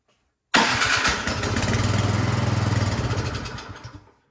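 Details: Craftsman snow blower with fresh oil and gas in the tank, carburetor cover off: starting fluid sprayed into the carburetor, engine catches and fires unevenly about three seconds, then fades and stalls. Fuel delivery problem suspected, not confirmed; the carburetor is disassembled next.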